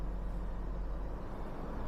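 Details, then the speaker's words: 2007 Hummer H3, 3.7L inline five, five-speed manual, 150,751 miles, restarted after running out of gas: low, steady, even idle in neutral with no ticking or knocking; motor running well. "she is in neutral though as you guys can hear the motor is running well"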